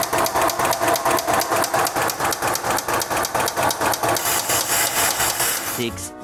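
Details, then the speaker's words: 2001 VW Jetta A4 engine at idle: sharp regular knocking, roughly two per second, before shutdown; connecting rod bearing failed (disintegrated), apparently after overheating; lifters checked fine, rod bearings need replacing and rods inspecting. "y aquí está la falla los metales de una biela se hicieron pomada hay que cambiar metales y checar las las bielas que les pasó"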